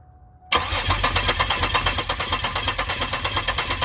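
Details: 2002 Pontiac Grand Prix GTP, abandoned car, brake cleaner sprayed into intake with sensor removed while cranking: even starter chugging about three beats a second, never catches; cranks but won't start, possibly no spark, cause unconfirmed.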